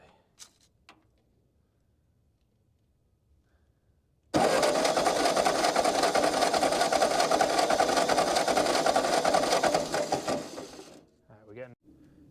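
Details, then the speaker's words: Ford 9N tractor, long unused, distributor reinstalled: starter cranks steadily about 2.5 beats/sec for six seconds but never fires, no spark. "okay now we got no spark so I made an adjustment I'm not sure if it's going to work or not but on the bottom of the uh coil there's a spring that's supposed to feed into the condenser"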